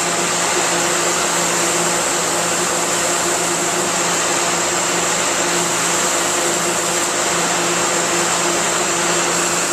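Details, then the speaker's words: 2011 Thermal Care NQA15 15-ton air-cooled chiller, R410A scroll compressor, at low load near setpoint, about 43°F, fully unloading. Steady hiss over compressor hum and fan rush, no surges: normal hot gas bypass. "that's the hotcast bypass this might be the best place to hear but uh anybody familiar with chillers and hvac will tell you that that hissing is what you want to hear when you get to your uh your low uh low load and hot gas bypass"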